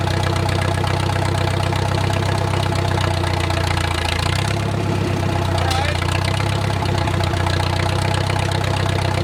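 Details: Wartime H tractor, last run around the 80s or 90s, at full operating temperature: a steady, even low idle with a regular firing beat, no knocking or misses and great oil pressure, a normal warm idle.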